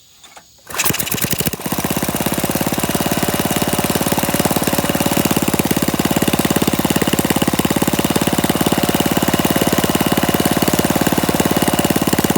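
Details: Briggs & Stratton flathead mini-bike engine with PZ19 carburetor, on a stand with no load, on a 103-degree day after idle screw adjustment: catches within a second and settles into a loud, even, sharp open-exhaust beat with no misses; runs healthy.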